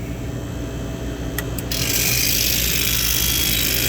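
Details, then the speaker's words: Prep table refrigeration compressor on restart with service gauges fitted: loud, harsh, rough rattle and roar instead of a smooth hum, drawing 18 amps with minimal pumping, then trips on overload; damaged compressor valves. "we're drawing 18 amps of current we have minimal pumping going on but there's something there there's clearly something wrong with the valves"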